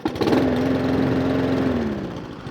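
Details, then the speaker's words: Mountfield SP454 single-cylinder self-propelled mower after hunting/surging repair: idle settles slow and low with a steady hum that sags toward the end; idle speed set slightly too low, risking stalling. "And all I'm going to do is just going to put a screwdriver in the front of that and just adjust the idle slightly, because it is just a touch too low. That actually have a risk of stalling."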